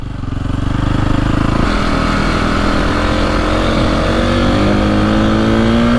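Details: 2002 KTM 400 EXC (sold as 450), warmed up, after fixing bogging and misfiring: crisp revs climb cleanly and hit the rev limiter at the right time; slight backfire and hesitation at start remain, owner considers a bigger jet.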